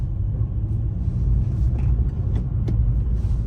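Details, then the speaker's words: 2011 Suzuki Swift 1.2 petrol after clutch replacement for a worn, slipping clutch, driving gently in first to third gear: smooth, even low engine rumble, no judder, slip or grinding; normal drive. "really smooth. That's third gear. So, we will be not pushing it hard because the clutch needs to get slightly worn with the engine."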